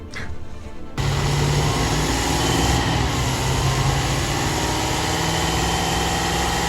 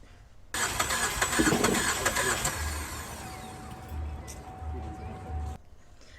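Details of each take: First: 2017 Chevrolet Traverse with a cylinder two misfire, after the battery was disconnected about 30 minutes: engine catches after a short crank and settles into a steady, even idle with no stumble or misfire. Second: 2017 Chevrolet Traverse with a recurring cylinder two misfire, right after new spark plugs were fitted with the original coils: the starter cranks steadily for about five seconds but the engine never fires; owner suspects an electrical issue, unconfirmed.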